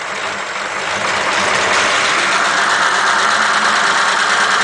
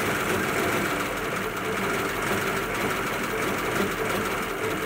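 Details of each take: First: 1941 Ford pickup flathead that wouldn't rev, with electronic ignition bypassed by a temporary wire from coil to distributor: even settled idle with steady regular beat, no misses; normal idle. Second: 1941 Ford pickup flathead, refitted rotor arm and distributor cap: uneven, lumpy running with a stumbling beat over a thin idle; it won't rev.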